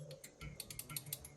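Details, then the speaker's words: 1967 Chevy G10 van with parasitic battery draw: quiet irregular dry clicks about six per second with no horn note; horn relay chattering, relay suspected dead, not confirmed. "sounds like the relay is dead"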